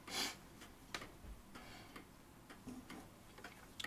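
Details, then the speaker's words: Vintage Ansonia steel kitchen clock before service, barrel pendulum running: ticks roughly twice a second with uneven tick-tock gaps; pendulum clock slightly out of beat. "we've got the clock slightly out of bed at the moment but the pendulum's working you can hear it ticking away"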